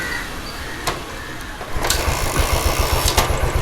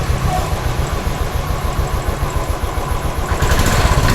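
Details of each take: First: Royal Enfield Standard 500 fuel-injected single; fuel pump, fuel pressure and spark checked OK, MIL lamp stays on, bank angle sensor suspected; catches and thumps unevenly for a couple of seconds, then stalls; engine starts then stalls. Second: Royal Enfield Standard 500 fuel-injected, bank angle sensor confirmed as the fault and temporarily tapped into place, needs replacing; even single-cylinder thump about 3.5 beats a second, no misses: normal idle.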